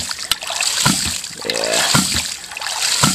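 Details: Rife Ram 20 hydraulic ram pump, regasketed and reinstalled, fed by 2 in pipe from a dam, pumping 87 ft up to a 300-gallon stock tank: sharp waste-valve clacks about once a second over trickling water; cycling normally.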